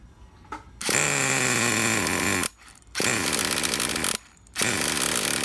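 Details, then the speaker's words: 1999 Traxxas T-Maxx Pro 15 nitro RC truck: the tiny engine buzzes briefly, cuts out, catches and dies, so it is hard starting. It had been idling down and shutting off; owner suspects a vacuum leak. "weird now it's having a hard time firing up going to raise a Thal trim a little more"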